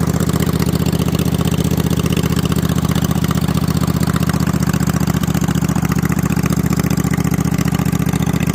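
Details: Freshly assembled snow mower engine with slip-on mufflers over the exhaust tubes, before a planned 2-into-1 3-inch pipe; loud, even exhaust pulses at steady fast idle, no knocks or misses; normal running.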